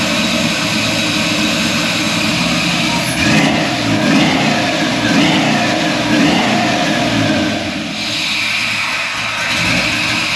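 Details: Restomod 1964 Ford F100 with a 6.0 L96 LS V8 and Holley Hi-Ram, on a new mandrel-bent H-pipe exhaust with Flowmaster 40-style mufflers: deep, smooth V8 burble that swells with throttle blips and settles back evenly; healthy engine.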